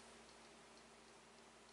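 Quiet, fast, regular ticking about three times a second on a faint hum: the relay is chattering because a failed regulator prevents charging.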